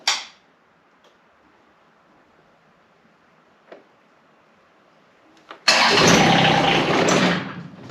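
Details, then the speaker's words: John Deere X758 first start attempt right after replacing the air and fuel filters, with the fuel system still priming and a hiccup expected. After a long silence it fires into a rough two-second burst and dies; it catches but won't keep running. "So I'm assuming we're gonna get a little bit of a hiccup, but we'll see here."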